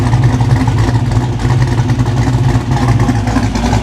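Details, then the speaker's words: 1987 Monte Carlo SS V8 after an $18K build: deep, loping exhaust burble at idle with an even pulse and no knocks or ticks, quiet up front and loud at the back; a healthy V8 idling. "Doesn't it sound nasty? Amazing."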